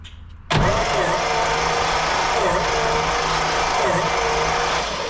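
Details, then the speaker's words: 1956 GMC 630 fire truck with 503 straight-six, long stored, original large carburetor, compression readings about 70 to 110 psi: starter spins it at a steady, even rhythm with no lopsided beats; compression sufficient to start, sounds healthy. "We got enough to start. Good. Okay. Sounds healthy."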